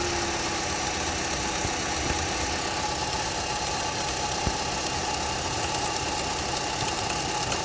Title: Knocking sound coming from under the engine Opel Astra H 1.4 66kw.